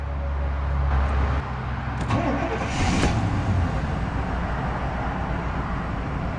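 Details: 1994 GMC Vandura G2500 conversion van, 125,000 miles: brief crank, catches at once and settles into a smooth, steady idle with no misses or knocks; normal cold start.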